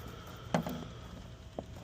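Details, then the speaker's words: Fujitsu outdoor unit with a general trip error, after power cleared about 10 minutes and restored: a couple of sharp relay clicks over a faint low hum as it responds; compressor later found bad; may need low-ambient settings. "hear the clicking it's responding we'll see what happens with this restart"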